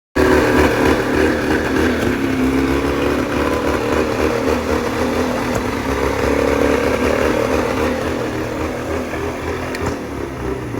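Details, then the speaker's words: 1989 Johnson Tracker 40 hp outboard runs with a ragged, stumbling beat and uneven firing, and the note sags toward the end before it stops; owner suspects a misfire. Not confirmed. "Is that like a misfire or I don't know."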